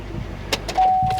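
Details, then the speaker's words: A flood-damaged automatic SS that fired right up with no check engine lights and good oil pressure gives a couple of sharp clunks, with a chime, when shifted into gear at idle. Transmission damage is suspected. "She going to gear? Yep. Wow, that didn't sound good. Yeah, she got some damage to the trans."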